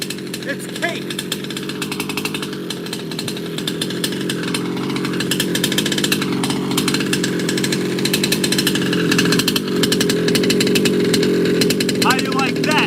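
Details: Baja 5T gas 1/5-scale RC two-stroke after major repair, first start: buzzy, high-pitched idle holding steady and even for a dozen seconds without stumbling or dying; running fine.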